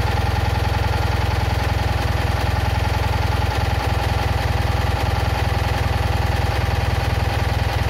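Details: Citroën Ami 8 engine at a steady low idle with an irregular chuff and occasional skipped beats. Points spark heavily, the plug spark is weak, it coughs through the carburettor, and the coil and engine run hot. Owner is sure the ignition condenser is causing the misfire.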